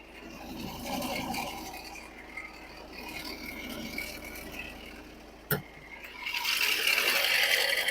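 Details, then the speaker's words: Ford diesel, idle, no warning lights: a dry, scratchy rattle about four beats a second from the engine bay, traced to a failing alternator bearing; the alternator was replaced. "Right now you can hear some rattling noise from the engine."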